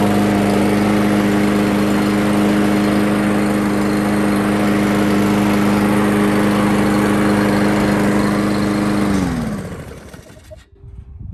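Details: Craftsman Gold Series 6.75 Briggs & Stratton mower after cleaning its plastic carburetor, which was clogged by stale fuel: steady, even note with no misses or knocks for about nine seconds, then winds down smoothly at shutoff; running healthy.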